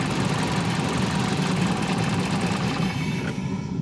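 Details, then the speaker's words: 2000 Toyota Celica GT 1.8L with low oil: wiggling the wiring at the number four coil connector makes the lumpy idle falter and begin to die; an intermittent electrical connector fault causes stalling. "because it seemed that someone in the past put a uh see how i if i move the wire here the vehicle wants to stall"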